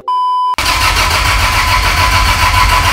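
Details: Fresh engine in a Toyota 80 Series Land Cruiser on its first start, 11.5 V battery in the passenger seat: a short beep, then sluggish, uneven cranking; the battery is too flat to crank briskly.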